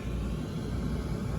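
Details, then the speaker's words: Daikin rooftop HVAC gas heating furnace running: steady deep even rumble of gas flame with no pops, surges or flutter; burner lighting and burning cleanly. "if you like this video give it a thumbs up and this thing is burning beautiful"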